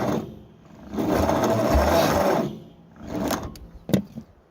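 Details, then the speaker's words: Vermeer 470 trencher engine after freeing the motor and valves and refitting the head, plugs in, trying ether: two slow, laboured cranking bursts that never catch; starter turns the engine too slowly, worn starter. "I can't get it to turn over fast enough. I'm just hoping to get it to pop on ether."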